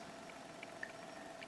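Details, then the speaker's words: Simple pulse motor built for 5V USB power bank, here on the 5V power bank: quiet even hum with light quick coil-pulse clicks, running smoothly and fine; on a 1.5V AAA it behaves oddly. "there's power in this and it's working absolutely fine"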